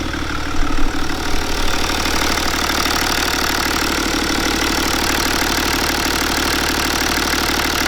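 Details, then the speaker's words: BMW N57 diesel at first start after timing chain and main bearing replacement and fuel-system bleeding. Steady diesel clatter at an even idle with no misses, knocks or squeals; it runs smoothly with no leaks. "going to leave it running for few minutes i have one so it's not big of a deal yeah i still don't give the the fan but for sure but everything feels fine"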